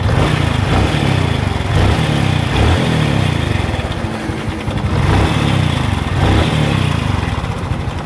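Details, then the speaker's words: Honda Revo Fit FI (Revo Absolute) injection single idling: coarse rattly clatter over idle beat, quieter when throttled, noisier as revs drop; worn cam chain, replacement shown. "Nah jadi kalau rantai keteng itu kena itu suaranya itu begitu kita akan gas itu agak berkurang ya begitu turun gas itu suaranya makin berisik"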